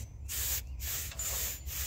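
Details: Norwood HD36v2 sawmill cutting a big black oak log with new roller guides replacing ceramic guides: steady even blade hiss over a low drive hum; cuts smoothly without labouring.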